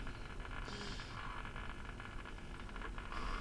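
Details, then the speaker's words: Philips-built Briton valve radio on dim bulb drawing 18 watts: steady rushing static with faint crackle, no station, stopping when the EBF2 valve top is touched; dim bulb then fluctuates, suggesting a short, and a capacitor underneath is leaking liquid. "That almost sounds a bit like reception or something. It's not, but..."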